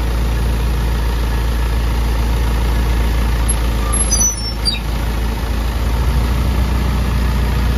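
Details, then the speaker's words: Self-loader truck diesel after PTO repair, idling with PTO off: steady low rumble, no knock, whine or grinding; earlier PTO noise gone, normal idle. "So yun mga kayab wala na yung ingay mga kabi ah kanina pipiti ka Hindi maingay"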